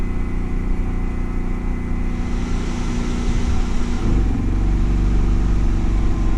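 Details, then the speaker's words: Home backup generator during Hurricane Ida outage, already powering refrigerators and freezers, takes on an added appliance with a compressor: steady low drone deepens and firms about four seconds in as load comes on, holding speed without stumbling. "to make the generator do something this should power this easy"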